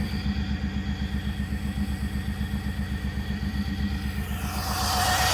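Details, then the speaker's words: Chevrolet Suburban V8 with suspected low compression, after a Sea Foam treatment: lumpy, slightly uneven idle that settles and smooths toward the end; owner attributes the roughness to a wrong air-fuel mixture, unconfirmed. "I know they they'll run a little rough on that cuz it's not getting the right air fuel mixture"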